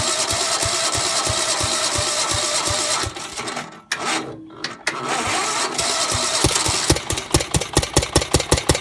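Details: Gravely 430 tractor with Onan NB twin and new crank-trigger ignition, sitting about 25 years with a varnished tank: fires on starting fluid, stumbles briefly, then a sharp, fairly even popping idle; owner unsure whether timing is slightly off or it's just the aggressive starting fluid.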